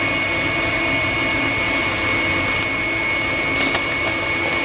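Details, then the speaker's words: 16 kW Chinese diesel coolant heater heating a cabin, lid on: steady high fan whoosh with two fixed whistle tones through the shutdown sequence, water pump running about 30 seconds extra after switch-off; normal heater shutdown. "as it shuts down it will leave the pump running for an extra 30 seconds so it keep circulating liquid once everything else has been switched off"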